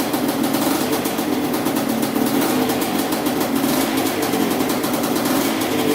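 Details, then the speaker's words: Quadzilla Banshee 500cc two-stroke quad after its second rebuild, running about 20 minutes after break-in cycles and a system bleed. A fast, even buzz at steady speed with no knocks or misses; normal running. "okay all right well it's lasted about 20 minutes so far i just did the break-in process warmed it up for five minutes let it cool down for five minutes"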